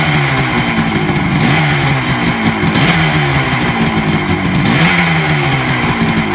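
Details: 1967 Kawasaki A1 250 two-stroke, tuned up, on reserve fuel with a little choke: crisp idle with quick throttle blips every second or so, revs rising and dropping cleanly; runs healthy, normal idle.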